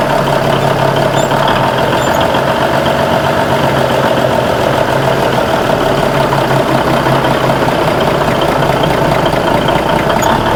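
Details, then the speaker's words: Old diesel semi truck after welded aluminum fuel tanks remounted and new fuel lines fitted, first start: loud steady idle holding one even speed, no surging up and down like before; running better. "Well, it's running though. Sounds like it's running better. At least it's not idling up and down like it was."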